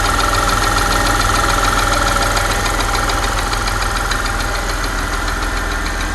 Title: Porsche Panamera 4S, engine ticking sound?